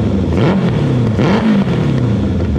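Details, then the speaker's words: Renault 4L fitted with an FZR motorcycle engine, first start attempts after welding exhaust bolts; engine surges and stumbles unevenly, never settling. Owner suspects carburettors getting too much fuel and wrong settings; fuel seen pouring out. Rough running, cause unconfirmed. "Bon, je suis sur un petit réglage, je comprends pas, je pense que les carbus ont trop d'essence. Je sais pas, et le réglage doit pas être correct du tout. Mais ça fait le bruit d'une moto déjà."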